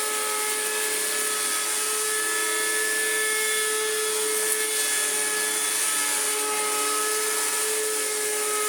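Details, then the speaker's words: Electrolux Z1910 Self Propelled vacuum after restoration, powered up after reassembly: harsh steady high-pitched whine with gritty edge; motor sounds awful, owner thinks bearings are shot, only a drop of grease applied. "I'm sure the astute of hearing, if I haven't just deafened the heck out of you, will notice that the motor sounds absolutely flipping awful. I think the bearings are shot."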